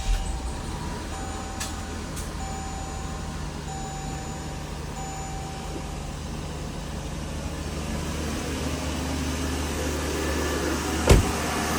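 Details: 2020 Jeep Grand Cherokee WK2 after RIPP supercharger install, on stock tune, second startup, warming up: smooth, even idle with a low steady hum and no knocks or misses, healthy.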